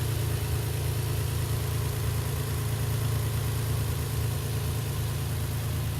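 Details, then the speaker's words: Infiniti G35 idle with a faint, uneven light tapping and some roughness; the engine shudders and lugs when put in gear; owner suspects an exhaust leak near the passenger side behind the engine, but it is clearly heard in the engine bay. "seems to lug the motor. You put it in gear. You can feel a shudder in the car and that tapping sound."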